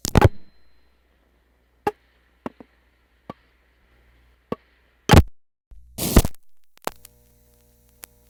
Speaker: Okay, that big noise you heard was the selector frames cutting the sender out of the call, and cutting in the talking circuit